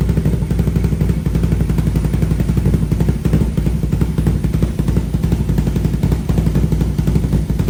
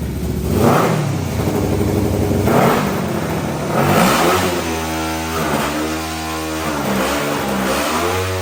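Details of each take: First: 500cc single-cylinder mini bike with new full stainless exhaust and high-flow muffler, baffle refitted after it vibrated loose: quick steady idle, loud low exhaust pulses, no rattle or buzz; exhaust sounds much better. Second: 500cc mini bike engine after carburetor tuning and new full stainless exhaust with high-flow muffler blips up and drifts back slowly, never fully revving out; rev hang, owner suspects it is still running lean.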